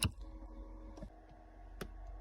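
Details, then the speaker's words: Jeep Grand Cherokee with the fob key stuck in the ignition, shifter removed: the D2F-01 shifter interlock microswitch gives faint, sharp, uneven clicks but does not do its job. Faulty shifter interlock microswitch. "Yeah, that's the switch. You can hear it clicking now, but what it needs to, it doesn't."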